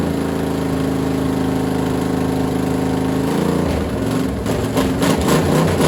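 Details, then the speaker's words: Freshly assembled small block Chevy for a Model A hot rod, Vortec heads and new cam, first start on a stand. Steady even lope through open headers, no knocks or ticks, pitch changes near the end; runs healthy, getting warm. "I'm pretty happy with the way it sounds I don't hear any bad sounds yet and the oil still looks pretty clean and everything"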